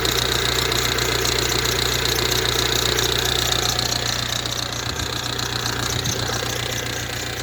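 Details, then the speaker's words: Ford Transit Connect diesel, hot, just jump-started with a LIDL 12V jump pack: sharp, regular tapping about two and a half per second over idle, a persistent knock of unclear source; alternator pulley also squeaking. "you hear that knocking sounds horrible doesn't it"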